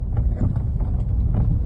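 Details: Ford Fiesta rolling over bumps or uneven ground gives irregular dull knocks over deep road rumble; first suspected suspension, traced to loose steering column bolts.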